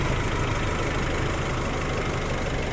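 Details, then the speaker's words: Nissan Navara engine idling after A/C compressor and filter replaced; steady even drone, no knock or rattle, engine noise gone. Normal idle after repair. "Ayan guys, umanda na yung nabara guys. Yung compressor ito. Ayun. Wala nang ingay yung makina."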